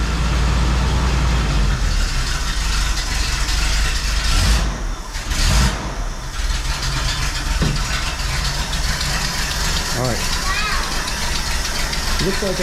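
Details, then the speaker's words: 1981 Jeep CJ7 with newly replaced carburetor, first start after sitting a few weeks: catches and runs unevenly with a ragged low rumble nearly dying; owner suspects multiple vacuum leaks or idle mixture screws needing adjustment. "okay so good news bad news uh good news the car started uh bad news did not run very good it sounded like there were multiple vacuum leaks"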